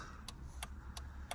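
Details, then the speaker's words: Nissan Micra being checked for overnight battery drain, right indicator triggered by probing the yellow wire at the switch during circuit tests: crisp, evenly spaced ticks about three per second over a quiet engine. Normal turn-signal flasher ticking. "so if we go into this yellow wire you can hear the indicator comes on that's a right hand indicator"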